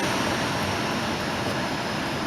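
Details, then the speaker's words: 2005 Volvo S40 after blower motor install: steady rushing air with no rattle or motor whine, lots of noise from the damaged recirculation flap housing rather than the new blower. "oh yeah makes a crapload of noise"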